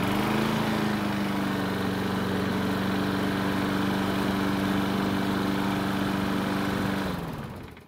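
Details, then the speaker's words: Used Yard Machines mower single-cylinder engine, several years old, restarted hot after the governor was adjusted down. Steady, even drone for seven seconds, then winds down at shutoff. Runs fine despite a slight engine noise. "so for a used mower it starts and runs just fine and even with a slight noise this engine should run for a long time with oil changes of course"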